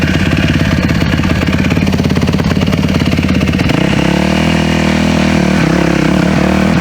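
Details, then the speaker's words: Yamaha YZ450 dirt bike after carb rebuild with new mid-body gaskets, pilot screw turned out a quarter turn: uneven pops off the bottom, stumbling before catching as revs rise; off-idle hesitation, owner suspects rich pilot jetting. "Sputtering at all. I can't get a smooth run up at all, causing me to hesitate. sputter is just freaking killing me, man."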